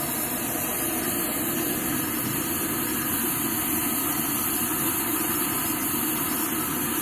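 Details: Vintage Rogers Akron Ohio M1950 military stove, lit after alcohol priming: steady, even hissing roar with no sputter or surging; the pressurized burner runs properly.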